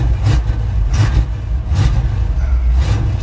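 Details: 1977 Chevy Monte Carlo back on the road after 20 years: revs surge roughly about once a second, bogging and stuttering instead of climbing cleanly; stumble on acceleration, the engine had been dying, owner suspects the accelerator pump.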